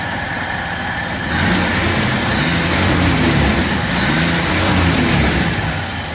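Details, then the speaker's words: 1948 Dodge flathead six with a new intake, Fish carburetor and baffled "shotgun" dual exhaust. Steady, even low rumble at idle with a slight rev rise. The earlier exhaust tick at idle is gone; normal healthy idle. "we went with the baffled exhaust obviously it uh I we think that sounded a little bit better it's a six-cylinder so doesn't quite have the power and the rumble of a V8"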